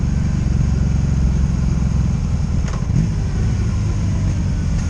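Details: 2002 Honda Magna VF750C V4, warmed up, on its first non-stop road ride after it previously died when put in gear: deep, even exhaust rumble holding steady with no misses, ignition cuts or bucking; normal running.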